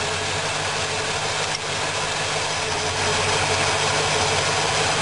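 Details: Steady, even rumble at a fast cold idle, choke not yet fully open, from a freshly rebuilt V8 on its first start after oil priming; no stumble, miss or surge, running cleanly with the points-distributor timing adjusted.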